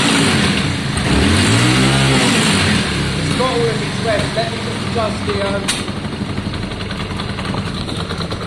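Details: Yamaha Virago 535 V-twin after carb clean, re-jetting and idle adjustment: climbs cleanly through its revs and drops back to a steady idle with no stumble or misfire. Runs healthy.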